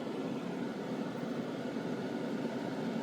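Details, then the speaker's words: Powerful new exhaust fan on a spray booth with filter pad, running: strong, steady rushing roar with no wobble, rattle or scrape; running smoothly and healthily. "I want to suck it right up this is a powerful powerful fan"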